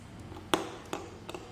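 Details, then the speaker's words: 12 V normally closed automatic water-tap solenoid valve, coil energized on the bench: crisp metallic clicks as the spring-loaded plunger snaps in; normal solenoid pull-in. "बहुत अधिक ठीक है, इस तरह, तो यह उस तरह काम करता है, हां, यह खींचता है।"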